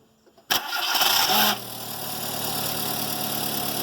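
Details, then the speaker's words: Car starter motor gives a harsh growl for about a second right after the engine catches, then steady idle; owner believes it only needs lubrication rather than part replacement. "depois que o carro liga logo depois ele dá um rumo e dali um eu vou mostrar a vocês agora o barulho"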